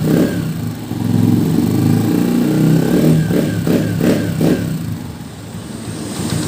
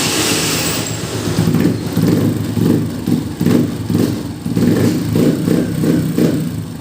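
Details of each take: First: Honda TMX 125 at 3,847 km, after oil change and valve clearance adjustment: steady single-cylinder idle with a few quick throttle blips, valve tapping (lagitik) gone; normal idle. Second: Honda TMX 125 at 3,847 km, just after valve clearance adjustment and oil change: slow, lumpy, uneven idle around 1,000 rpm versus the 1,400 rpm it should have; idle set too low, to be raised once warmed up.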